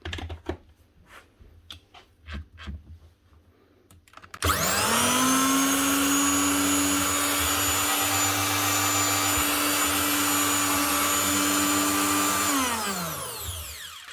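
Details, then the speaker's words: Virutex FC116U door morticer from 2012 after bearing replacement: motor winds up fast to a steady smooth high whine with no vibration, rumble or rattle, then spins down evenly; normal running. "Nice one. No vibration, and she sounds a lot smoother."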